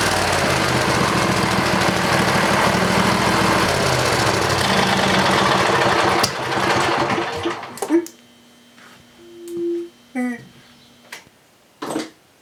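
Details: Briggs and Stratton 20HP V-twin Model 40 after carburetor cleaning and reassembly: steady, even run with smooth firing beat and no misses, then clean shutdown; pretty good running engine, normal running.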